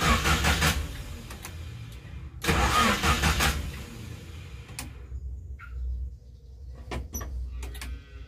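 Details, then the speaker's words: Mitsubishi Colt T120 refusing to start in the morning: starter spins in uneven bursts over separate attempts, never catching; owner suspects it is sulking from sitting long, possibly dirt, unconfirmed. "Nah itu kalau sudah tidak mau hidup"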